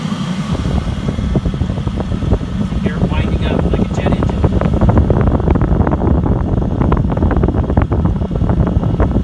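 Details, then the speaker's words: New Chinese diesel air heater on 12 V, glow plug off after startup, set to its slowest 1.7 rate: soft fan whoosh under light regular tapping from the dosing pump delivering tiny amounts of fuel; heater running normally. "the little pump that you hear tapping just delivers a tiny tiny amount of fuel with each pump"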